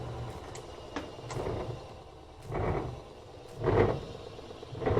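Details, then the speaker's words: Frigidaire washer (model FGX831FS5) with a spin complaint: after the motor stops, the transmission and drum keep turning by inertia with a slow, rhythmic, fading swish. Normal coast-down; this model has no brake. "can see the motor is stopped, but the transmission has inertia, so it's still going to spin."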